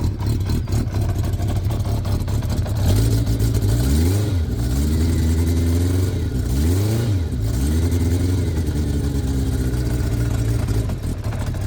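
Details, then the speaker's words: Engine with newly fitted, cleaned stainless exhaust headers, engine still cold: even idle with clean throttle blips rising and falling smoothly, no puffing or ticking from the exhaust; sounds healthy. "És akkor ilyen hangja van. Hideg még."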